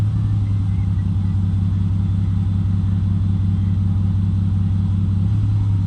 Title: Supra misfire?